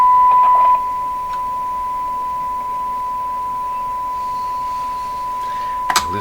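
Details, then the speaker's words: 1929 Victor RE-45 radio during neutralization adjustment with an unheated tube in the stage being adjusted: steady high whistle near 1 kHz under faint background noise; a stage suspected to be oscillating, not confirmed. "now hear the tone quite clearly"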